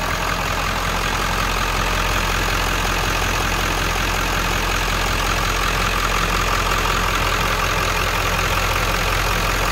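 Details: 1997 Ford F350 XLT crew cab 4x4 with 7.3L Power Stroke diesel: steady, even diesel idle clatter heard close in the open engine bay, no misses or stray knocks; healthy running engine.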